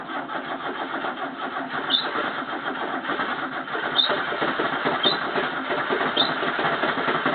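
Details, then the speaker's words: 1985 Toyota Corolla after carburetor problems, choke likely off: uneven cranking churn with occasional catches, repeated hard starting before it finally runs. "Hello viewers, I'm trying to get this started. I had some carby problems, so let's see if it will go now."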